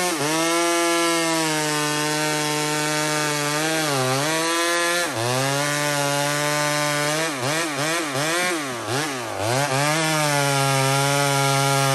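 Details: Small Homelite two-stroke chainsaw on a stock chain cutting maple: a strong steady howl dipping and recovering repeatedly as the chain bites, pulling cleanly. Healthy, normal cutting under load.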